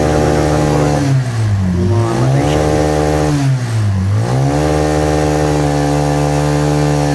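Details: Barako 2 motorcycle with only 132 on the odometer that kept stalling, suspected due to fuel delivery to the carburetor, checked after the fix: a steady single-cylinder idle with two quick revs that climb and settle back evenly without stalling. Normal running.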